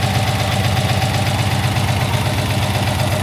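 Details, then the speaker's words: 20-foot Daimler Majestic Major Hemi V8 limousine, warmed up; smooth, even low exhaust burble with a steady beat and no misses or knocks, a bit smoky from one exhaust, yet a healthy engine. Normal warm idle. "that's a nice sound she's a bit Smokey but that's a really healthy engine you can tell very even exhaust beat"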